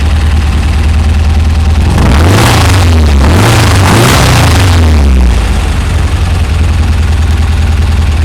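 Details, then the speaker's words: VW Beetle with dual EMPI carbs after a binding passenger-side throttle return spring was replaced: the idle rises cleanly on two blips and drops straight back with no popping or lag; normal throttle response. "Immediate on the throttle response. No popping. That's good."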